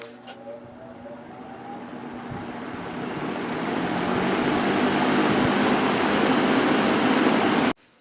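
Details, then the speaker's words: Vintage Air King V20E reversible box fan, 2-speed GE motor (rated 2.8 A, measured 2.1 A), blade and grill washed, on high: airy whoosh building as it spins up, faint motor hum, no rubbing, ticking or squeal; normal running. "I washed the blade off, and I took the front grill outside and washed it off with the hose, so it's running just fine."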